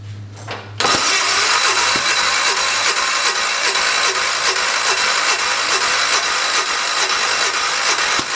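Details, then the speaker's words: 1973 "112" after new points, coil, condenser and carburetor, on charger: starter cranks steadily about four compression beats a second with no firing; crank no-start, owner suspects flooding. "to be honest with you kindness sounds like it's flooded I almost wonder if it is to try that"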